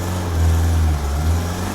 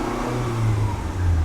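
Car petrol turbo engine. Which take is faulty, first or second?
first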